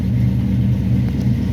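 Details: A 1967 Barracuda V8, 1970s Barris Kustoms custom, idling just after first start following roughly a year of sitting. It gives a deep, steady rumble with an even beat and no knocks or misses, a normal idle.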